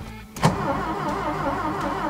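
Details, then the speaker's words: Green Ford Taunus parked since 1995 (29 years), first starter test: a short whirring burst turning the engine freely, starter not seized, but dragging slightly; battery still okay but somewhat weak. "waouh on a un starter qui n'est pas bloqué ça c'est génial la batterie elle est encore correcte mais un peu faible"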